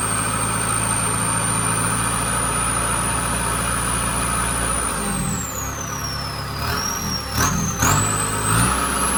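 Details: Kubota combine harvester diesel, under 1000 hours, after turbo replacement for a failed turbo (heat suspected main cause); even run with high clean turbo whistle dropping and climbing with revs, no rubbing or scraping; new turbo healthy.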